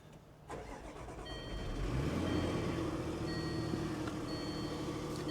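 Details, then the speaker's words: 2015 BMW 650i at auction with a low-battery warning cranks briefly, then catches and surges unevenly before settling to idle; not the smoothest start, and a loose timing chain is suspected. "not the smoothest start"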